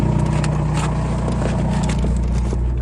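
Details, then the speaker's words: MK4 Jetta ALH TDI diesel just after the A/C compressor was deleted and replaced with a Dorman 34214 blank pulley, on a cold day (about minus one or two); smooth, steady diesel clatter at idle with no grinding from the belt drive. Normal idle. "You can tell it sounds a lot better. Nothing but diesel noises."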